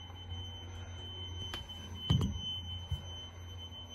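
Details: Toilet fill valve whistling during refill, thin steady high whistle over bumps and low hum; tenant reported weird noise and higher water bill; fix is shutting water off and replacing the fill valve.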